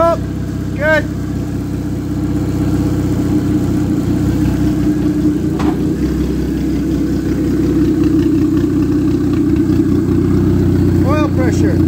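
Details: Ex-race Neon four-cylinder on a floor test stand: steady, even idle that rises cleanly with each throttle blip, no knocks or misses; no coolant bubbles, a healthy engine.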